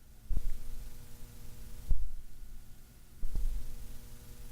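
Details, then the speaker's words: Hum when touching the Cloudlifter inline preamp in a Shure SM7B chain using cheap XLR cables: low steady mains-type hum swells on each touch then fades; possibly a grounding issue, unconfirmed. "some noise which means that there's some sort of a grounding issue possibly going on too"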